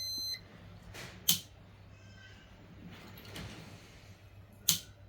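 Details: Panasonic SR-SPX104 induction rice cooker, repaired for no power and lid steam leak, partly reassembled and plugged in for a test: two short high beeps about three and a half seconds apart, display lights up; powers on normally.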